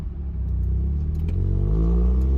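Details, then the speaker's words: 1990 Mazda Miata whose exhaust fell off: even light throttle gives a deep rumble with a buzzy, tinny rasp, like rattling coins in a can; raspy rattling exhaust under throttle, exact cause not yet checked under the car. "even just a little bit of throttling sounds like sounds like you're just rattling at coins in a can or something"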